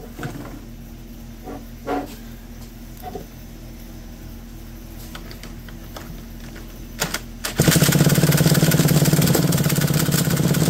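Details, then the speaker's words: McCulloch D44 direct-drive chainsaw, unrun for 15 years and said to be a hard, stubborn runner, flooded with WD40: pull-start thumps, then a ragged two-stroke buzz that barely holds while smoking; spark plug suspected; hard starting. "she's trying she's smoking let mix up more fuel let's try this again"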